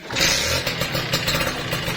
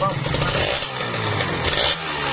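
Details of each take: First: Kawasaki Ninja RR two-stroke with severe "kemletek" (engine clatter) and whitened bore, started for a before-repair check: fast metallic rattle over the buzzy idle keeps pace with the engine, a worn piston slapping in the bore. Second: Kawasaki Ninja RR two-stroke with a whitened bore, after repair: crisp blips rise and fall cleanly with no clatter as the revs drop, tight and healthy; radiator normal.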